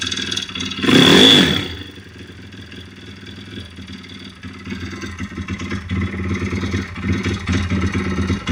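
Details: YX-1 160 four-stroke single, fully rebuilt, valves adjusted, small piston-pin play, no rod play, camshaft bearings loose in bore, slight piston play: a scrape, then idle with a floating metallic ring and irregular ticks. Source unknown.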